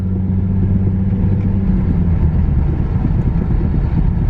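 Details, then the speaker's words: Infiniti G37S, driver-side wheel: low steady rumble with dull throb, "vibrating heartbeat" sound at about 10 mph, louder when slowing, wheels wobbling and steering wheel shaking; owner suspects a bad wheel bearing. "now when you slow down you can hear it more this is a bad case of a wheel bearing I'm pretty sure you do not want your cart to sound like this"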